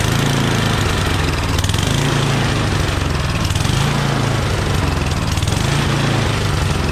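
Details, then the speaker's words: Yardman 8.5 hp 26-inch dual-stage snowblower, rebuilt from a disassembled state, started after a shot of starting fluid. A loud, fast, even putter with a gentle periodic swell, steady through idle and throttle: normal, smooth idle. "Good idle. Throttle. Really nice."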